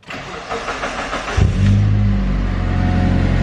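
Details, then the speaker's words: Mitsubishi CE Lancer with SOHC 4G93 turbo, first start after Walbro fuel pump upgrade: cranks briefly, catches at about 1.5 seconds and settles into a steady, even idle; pump audible, fuel pump works. "oh you can definitely hear it yep that's a wall bro under there all right fuel pump works"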